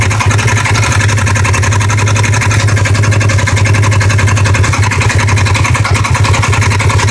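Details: 2015 Polaris RZR XP1K idling with a loud, steady knock, roughly four sharp raps a second, over a deep drone, from the right side; began on starts after sitting a day or two, now on every start and warm, intermittent.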